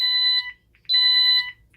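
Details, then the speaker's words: Ademco 6128 alarm keypad, fire panic triggered by pressing 1 and star (star and pound also does it): loud high-pitched beeps, each about half a second with short gaps, repeating steadily. "So 1 and star, if we push that, that's our fire panic."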